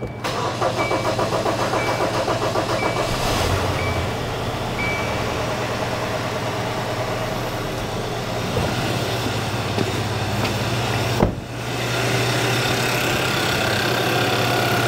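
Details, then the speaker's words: 2015 Kia Sorento with a new long-block engine installed under warranty extension, first start after filling oil and coolant, may need cranks to build fuel pressure; steady rapid cranking about three to four beats a second settling into even running; normal first start. "And it may take a couple cranks for this thing to build up some fuel pressure. But I don't expect anything wrong."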